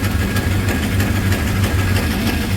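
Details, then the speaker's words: Freshly installed 360 Magnum V8 in a Coronet, not yet warmed up, idling fast at about 2,000 rpm by ear: lumpy idle with a sharp puff ticking with each firing pulse, suspected exhaust leaks around the headers, plus a squealing belt. "we still got exhaust leaks and stuff going on around the headers it sound like I don't know what that noise is"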